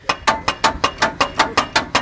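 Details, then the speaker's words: 80 Series on its first trip, beach driving on Moreton Island: sharp metallic clacks about five times a second that follow the wheel; brake caliper hanging on one bolt; loose caliper clunk. "So there's one bolt hanging on there, so I'm gonna tighten that up and it should get us out of trouble. Dude, that's my lunch and dinner. You know when you chase one of those noises and you're like, what is that? Sounds like this."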